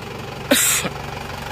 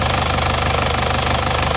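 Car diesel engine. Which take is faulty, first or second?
second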